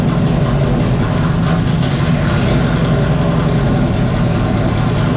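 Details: 1994 Terry Labonte Oldsmobile race car V8 after replacing bad spark plug wires and plugs: deep, even rumble, steady firing, no misses or pops; normal idle, running strong and smooth.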